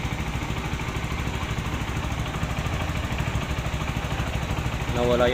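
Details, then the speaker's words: Rouser NS160 after timing chain and roller guide replacement: steady even idle thrum about three beats a second, no rattle or rough chain noise; earlier rough timing-chain noise gone, normal idle. "So nawala yung ingay niya, no? Normal na yung kanyang andar."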